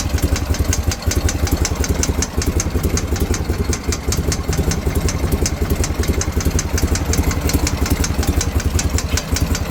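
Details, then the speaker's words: BMW R51/3 boxer twin motorcycle at idle: crisp even tick over the idle at about two to three per second; ticking of unknown source, owner seeking help. "Anybody know what that is? This is the ticking I'm talking about."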